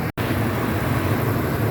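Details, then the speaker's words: 2001 Ford F-250 after replacing a screeching idler pulley (original had 270k miles): after about five minutes of idling, a steady low idle with soft, even injector ticking and no screech returning, so the repair is good. "the engine has idled now for about five minutes and we have not heard that noise come back the only thing we hear the injector is firing so this is a good repair"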